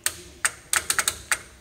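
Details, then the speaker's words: Honda CR-V starter bench-tested off the car with a remote starter switch: six sharp, uneven clicks with no motor spin. The solenoid snaps in but the starter won't turn, which explains the no crank, no start; corrosion inside is suspected. "that would be the reason for our no start no crank it's a solenoid in there you can hear it flipping over but something in there must be corroded and rusted"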